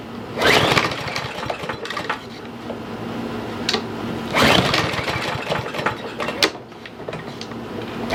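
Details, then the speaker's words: Troy-Bilt TB110 push mower, 140cc, sat a year under leaves, pull-and-go with no primer or choke: three recoil pulls spin the engine but it never fires; fuel-starved by a bad carburetor. "So it doesn't sound like it's going to even try to start."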